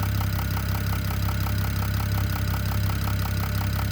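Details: BMW E92 335i (N54 engine) at steady idle with a sharp, regular tick-knock about three times a second over the engine hum; the owner suspects the top end, and the source is unconfirmed.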